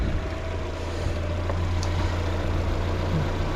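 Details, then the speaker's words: 1997 Mazda Miata with newly installed replacement engine: smooth, steady low idle with even beat, no knocks or misses, temps good; healthy engine. "Temps are still good, idle's still good. I need some gas, but you know, she's golden."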